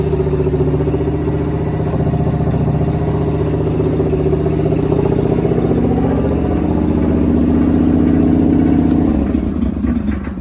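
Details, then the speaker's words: John Deere 425 garden tractor with loader and rear PTO, recently acquired, running with no choke, idle possibly a little high: steady, even mid-pitched engine throb with slight rise then settle; runs normally. "Alright, so you heard that engine note."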